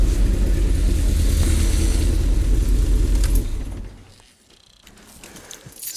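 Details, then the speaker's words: MG engine restarted after compression test: lumpy, stumbling rough idle as when first started; ran fine once the coil packs were refitted, so they were likely not seated properly; misfire from unseated ignition coil packs. "don't know why but it's running dog rough almost like when i first started it"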